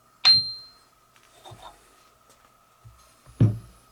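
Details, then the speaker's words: Ring test on both grinding wheels during a Craftsman 1/3 HP bench grinder rebuild. Sharp taps give a clear, lingering high ring rather than the dead sound of a cracked wheel, so neither wheel has cracks and neither needs replacing. "so both of those Wheels ringed just fine uh if they had cracks in them they would have a dead sound to them which they didn't they ring so we don't have to replace them"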